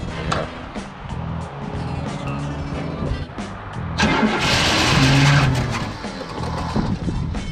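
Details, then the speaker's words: Free 1972 Cadillac Sedan DeVille started with ether: steady idle with a light quick tick about three a second, not rocking, no apparent misfire; suspected valvetrain tick, accelerator pump also bad. "Listen to that bad boy tick. Tick, tick, tick, tick, tick, tick, tick. It's running as smooth as possible."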